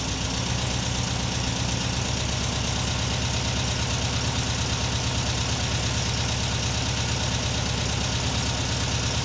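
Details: 1979 US-spec fuel-injected VW Super Beetle convertible, after Vintage Speed stainless exhaust replaced rusted original, mic at bumper then camera: steady, even flat-four idle with deep throaty burble, no misses or knocks; downpipe insulation smoking; normal idle.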